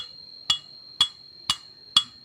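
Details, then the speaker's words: Yamaha Mio M3/Mio 125 engine with a rough, rattly running noise, checked with a tap test: the piston without rings is inserted in the block and knocked. Four sharp metallic clacks, about two a second, show a worn bore, so the block must be replaced. "gedorah apabila sudah terdengar suara seperti ini saat kita gedor maka blok ini harus kita ganti bloknya harus kita ganti"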